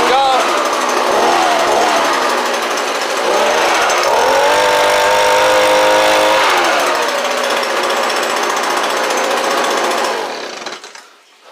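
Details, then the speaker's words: Echo ES-210 Shred 'n Vac with a newly installed carburettor and fuel lines, started cold and now at half choke: the small two-stroke runs steady at a high buzzing rev with a brief dip and recovery, firing evenly and blowing strongly. "hey that sounded good let's uh lower it down to about half choke that's category three hurricane people i got stuff blown everywhere look at that oh my god"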